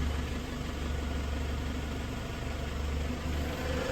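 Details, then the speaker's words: Toyota Hilux 2KD diesel, manual 4x4, after repair of engine that seized and died with oil warning light, run-in for hours: steady even low rumble, no knocks or misses; healthy idle after repair. "Untuk Toyota Huk-nya sudah selesai kita lakukan e running ya. Sudah kita hidupkan beberapa jam ini kita nih. Alhamdulillah sudah bisa hidup."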